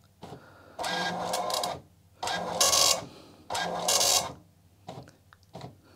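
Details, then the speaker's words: Commodore MPS 1500C color dot matrix printer tested with an Amiga; three even rasping print passes with short pauses, carriage moving cleanly, printer works fine. "this printer works just fine look at that"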